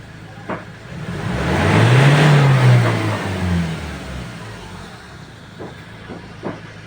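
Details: Ford Ranger XLT after fixing a no-start caused by a loose connection at the fuel pump terminal. The engine swells up through a rev, then drops back to a steady idle without stumbling or cutting out, running normally.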